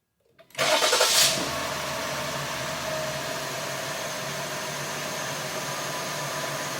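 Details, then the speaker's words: 2020 Jeep Cherokee 3.6 after an engine rebuild, being fixed for P0339 extended crank: a short crank catches cleanly and settles straight into a steady, even idle. It starts better, with no trouble codes stored. "So it sounds like it's starting better, but we'll take a look here."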